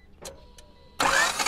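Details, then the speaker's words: 1992 Honda Accord CB7 cranking fast and even with no compression beats; distributor doesn't turn while cranking, so timing belt most likely snapped, possibly distributor shaft broken. "all right and it just sounds like there's like absolutely no compression so it's either the timing belt that's goner which is most likely in my opinion or just the shaft and that thing quit working and it snapped off in there"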